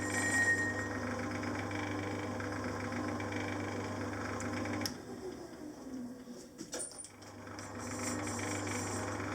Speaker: Now that sounded like chatter, but I was still getting a good finish, so I'm not sure what it was.